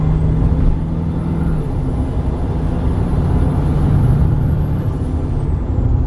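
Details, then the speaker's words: Nissan Titan XD Cummins diesel after installing an aftermarket cold air intake: high turbo whistle climbs over the diesel rumble on acceleration, holds, then falls away when throttle closes; normal turbo spool. "It's just that massive amount of turbo noise. You can just hear the turbo so much more clear, and then also when you let off, it just goes like, and it's so cool."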